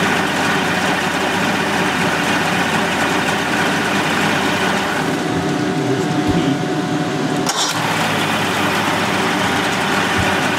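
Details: 1988 Mercury 70 hp inline three-cylinder two-stroke outboard in a test tank after carburetor work, as clean fuel reaches it. Steady, even idle with no skips or hunting; firing on all three cylinders. Normal idle.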